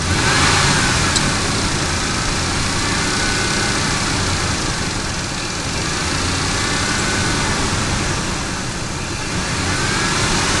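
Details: Ford F150 5.4L Triton V8; thin whine rising and falling with revs from a bad belt tensioner.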